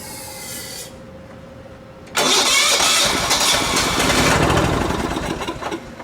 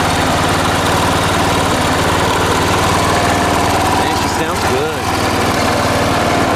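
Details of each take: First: Late-1980s John Deere RX95 riding mower, found abandoned: starter cranks steadily at about three strokes a second but it never fires, because the fuel valve was off and the fuel line wasn't connected to the carb; no fuel reaching the carb. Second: Late-1980s John Deere RX95 riding mower, after reconnecting the fuel line to the carb: loud, steady mid-pitched drone at a constant speed with no misses or stumbles; engine running healthy.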